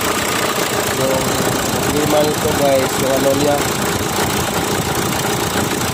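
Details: 2014 Kia Sportage engine at steady idle with a light, rapid knocking ticking through it; a knock is clearly present, but the source can't be pinned down.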